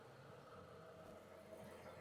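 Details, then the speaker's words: Flood-damaged 2007 Chrysler SRT8, warm after a drive to the gas station, with coolant temp steady mid-gauge. A quiet, even idle with no hiccups, shaking, surging or knocks; it sounds great. "It idles perfectly. Not a hiccup at all. The coolant temp has remained right there in the middle, so that's perfect. You know, it's not shaking or surging at all. It sounds great."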